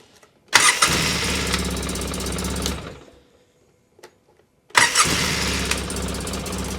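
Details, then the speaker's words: 2003 Polaris Sportsman 600 ATV after cleaning and greasing parts: catches instantly, smooth steady idle, shuts down, restarts cleanly; runs fine, though a cracked exhaust Y-pipe leak was found afterwards. "Now we can try to fire it up. Sounded good right there."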